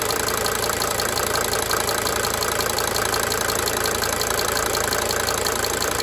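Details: 1992 Mercedes-Benz 300D 2.5 turbo diesel idling: sharp, regular tick about three per second that swells and fades; cyclic diesel injector ticking.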